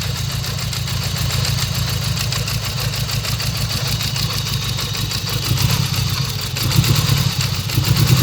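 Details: 1995 Suzuki GSX motorcycle, first startup after sitting over a year, idling roughly with steady even deep knock under exhaust beat, from back corner; owner suspects rod knock or spun rod bearings, unconfirmed.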